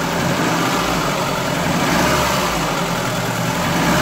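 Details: Ford Fiesta 1.3 OHV engine after a valve clearance adjustment: even idle with a soft steady beat and no sharp tapping from the top end; valvetrain sounds healthy.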